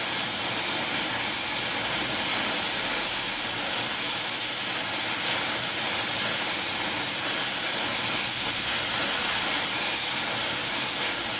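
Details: Air Products Integra oxy-acetylene cylinders (integrated regulators, quick connects with flashback arrestors) with a small mixer torch, welding; trying for 4 psi on a 380 psi gauge. Constant even roaring hiss, no popping or sputtering; normal flame.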